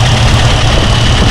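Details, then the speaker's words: Mustang V8 with new Holley Sniper 2 fuel injection, first start-up; loud steady idle with fast light ticking, owner unsure whether lifter tick or the injectors' noise. Ticking at idle, cause unclear. "Maybe we do have a lifter ticket. I'm not sure. I know these injectors will make a little noise, too."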